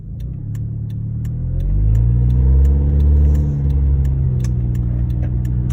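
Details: 2009 Honda Accord engine revving up and settling with a sharp, regular ticking about four times a second over it; intake and exhaust leak noise.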